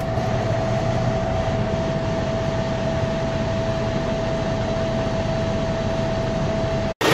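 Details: Cummins ISX truck diesel idling after turbo and actuator replacement and calibration, coolant refilled: a steady, even idle with a constant mid-pitch hum and no hiss, knock or whistle. No leaks; the engine sounds healthy.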